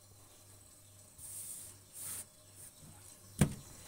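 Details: Refrigerator not cooling: quiet hum with short bursts of soft high hissing ("ces" sound), refrigerant escaping; technician says this means the capillary tube is holed and the leak must be found rather than replacing the capillary.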